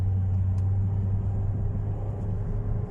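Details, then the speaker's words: Ford Fiesta automatic with gear warning light and jerky shifting, revved to about 3,500 rpm: engine drones at a steady high rev with no gear change; the transmission won't upshift, and the scan code indicates third gear isn't working. "ในรถยนต์คันนี้มีปัญหาอาการเกียร์ไม่เปลี่ยนนะครับเกียร์ไม่ไม่เปลี่ยนนะครับ"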